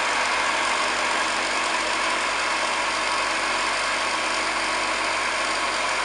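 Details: Restored pre-war 1929 Hoover Model 725 vacuum with new belt, brushes and cable, made electrically safe: steady high-pitched motor whirr and fan rush, even throughout, no rattles or grinding; running normally.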